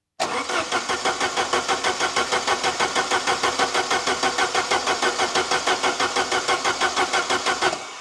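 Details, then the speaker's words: Saab 900 Turbo Commander, Bosch K-Jetronic injection, sat 10+ years: steady even cranking about three strokes a second for seven seconds, never catching; fuel reaches filter but not through pump to injectors. "nothing absolutely nothing so I now know that I got fuel at the fuel filter but the fuel is not coming from the fuel filter through the pump and up to the injectors"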